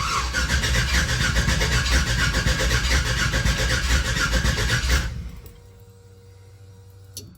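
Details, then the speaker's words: 1966 Chevy C10 pickup, freshly swapped from an LT1 to an LS1 V8, on its first start attempt. The starter cranks steadily for about five seconds with no firing. There was no fuel supply because a ball valve in the fuel line had been left turned off. "I don't know if it has fuel pressure yet it might just crank and do nothing"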